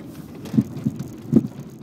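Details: 1997 Audi A6 Avant C4, right front, driving over bumps in cold wet weather: dull isolated pops and thumps; owner rules out the 2011 Bilstein B8 strut, suspects loose strut-to-chassis connection or strut bearing; not confirmed.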